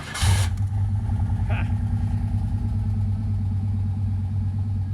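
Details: Old Chevrolet C1500 pickup just after its fuel pump and sending unit were replaced through a hole cut in the bed; it cranks briefly, catches at once and settles into a steady, even idle, with no leaks seen: normal running after repair.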